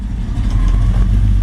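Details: 1940 Ford pickup resto rod with a Ford engine, started for a walkaround: catches quickly and settles into a deep, even rumble with a steady beat and no misses or knocks; a normal idle.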